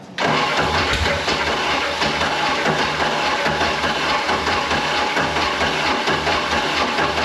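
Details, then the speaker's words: Mercruiser 3.0L, flooded, owner suspects a manifold leak and a down cylinder: steady fast cranking churn that never catches. There is lots of blow-by, and the fuel pump isn't picking up fuel, so it cranks but won't start. "a lot of blow by and the fuel pump is not picking up any fuel imagine"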